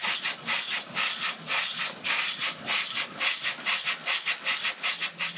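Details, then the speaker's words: Stirlingkit model beam engine running on steam after the valve gap was modified from 10 mm to 7.9 mm: even rhythmic exhaust chuffs about three per second, no constant roar of wasted steam; running much better than before. "So, first things first, I think it's running much, much better than it was before with the new valve in it. You don't hear that almost constant roaring of steam being wasted to exhaust."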